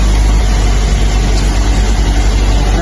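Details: Fuel-injected engine on a training engine stand after clearing codes: loud, steady low idle with smooth even beat, no misses or rattles; MAP 27.2 kPa, intake air 40 °C; normal idle.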